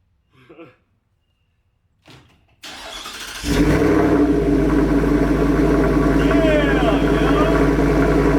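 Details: 2024 Ford F-150 single cab, 5.0 V8, just after a Corsa catback exhaust install, started to check for leaks. A brief crank, then a deep, even idle burble with no ticking or leak puffing; normal V8 idle.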